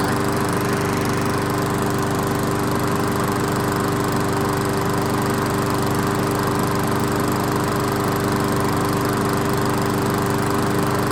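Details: Old 22-inch Weedeater walk-behind mower after seasonal tune-up and blade refit, brief run burning off spilled oil: steady, even buzz with no misses, knocks or surging; sounds good.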